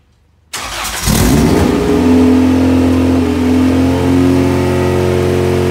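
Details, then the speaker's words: Honda EG hatch project first start with vacuum hoses left disconnected; fires straight up and holds a fast, steady, raised idle that won't settle: high idle from vacuum leak. "I'm stupid and I didn't connect the hoses so that explains why the car was so accelerated on the first start"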